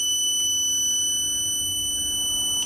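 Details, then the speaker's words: Growatt SPF 3000TL LVM 24 V inverter powering on with the battery charged to 27.5 V, after the buzzer was muted and error code 81 fixed by setting option 23 to single phase: a single steady high beep of about 2.5 seconds, the normal startup tone. "it's still going to do a beeping sound when it starts up"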